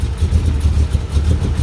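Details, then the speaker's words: 1985 Dodge D150 with a 408 stroker Mopar small block (roller cam, Holley 850 carb, MSD ignition), cold at first startup. It idles around 400 rpm against a roughly 700 rpm target, with a deep, slow, uneven throb like it might stall: low cold idle. "I could zoom in on that yeah I can zoom in on it and it looks like it's trying to run about 400 RPM"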